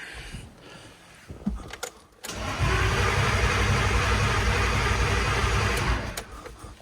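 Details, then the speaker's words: BMW S52 turbo wagon with boost box attached: engine cranks with steady even pulses for a few seconds but never fires, no fuel pump buzz; crank no-start, Walbro 255 pump installed last fall not running, charger also suspect. "Huh. I don't hear the fuel pump. Really? I tried rapping on the fuel pump, no dice, so I gotta look at this charger for sure, but also means I have to look at the fuel pump again."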